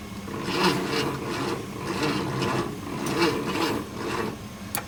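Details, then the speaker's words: 1966 Ford F100, first start attempt in 17 years after cleaning the points to get spark: slow, labouring crank, about one heavy compression stroke per second with dragging whir between; owner suspects the starter is going bad. "Man, this thing is just starter, I think it's going bad."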